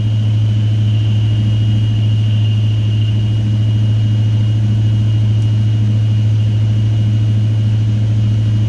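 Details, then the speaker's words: 1979 Chevy C20 truck freshly rebuilt V8, oil pressure good: deep, smooth, even rumble holding steady with no ticking, knocking or misfire; sounds as it's supposed to, normal running. "Alright. Sounds great. Well, let me give myself a pat on the back. No, we're good to go. That's how it's supposed to sound."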